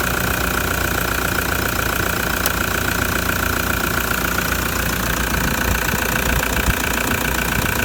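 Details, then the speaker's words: Older, noisier diesel engine after cold start: even, rapid clatter at a steady idle with no misses or heavy knocks; normal cold diesel idle, just a noisy engine. "let's get this called clattery old diesel start it up and see what happens"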